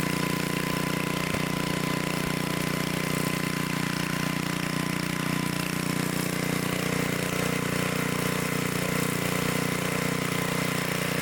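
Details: Restored 1972 Dayton 3,000 W electric-start generator, which had sat unused for 30 years, started after reassembly for an RPM check: a steady, even drone at constant speed with no misses, knocks or surging, running smoothly.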